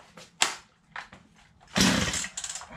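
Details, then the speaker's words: Free chainsaw with water in the fuel, left to dry for two days; it was choked and primed in warm weather. A few sharp pulls, then it catches for a ragged second and dies: water in fuel. "Now I just gotta go chop a couple trees down to burn the rest of the water and moisture out of it, and this baby's good to go."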